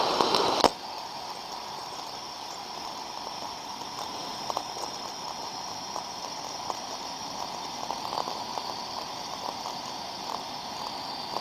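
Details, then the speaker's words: Ultrasound recording of a thermodynamic disc steam trap on site: sharp rush of flow as it snaps open, then quiet steady hiss with faint ticks; two openings in 20 seconds, within the good 2–10 per minute, normal cycling. "so as we can see from the sound recording in the window of a 20 second period there we could see two open modulations of the Trap opening and closing"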